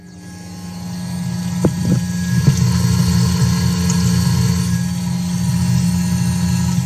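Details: Twin fuel pumps on PWM fan control module at 100% duty, 37 amps, about 740 kPa, voltage dropping to 11.4 V: smooth even low hum holding steady, no surging; pumps running healthy, not overheating.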